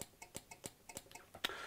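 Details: Returned LonWorks control circuit board from around 1999, after repairing the faulty relay that damaged the PCB: sharp clean relay clicks at a steady pace, about four a second, with crisp contact snaps; all relays switching properly.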